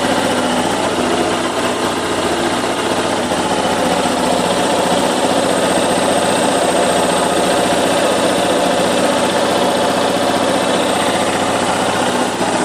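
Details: Yamaha Fazer YS250 after the cam chain tensioner was replaced to cure an engine noise: steady, even idle with light mechanical busyness on top and no clatter; the noise has stopped and power improved.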